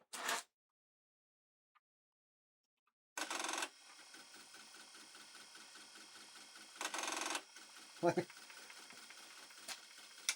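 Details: Apple III floppy drive banging while retrying to boot old Apple III disks; rapid dry ticking as the head steps back and forth between louder whirring bursts, drive condition and disks unknown; noisy floppy seek during boot retry.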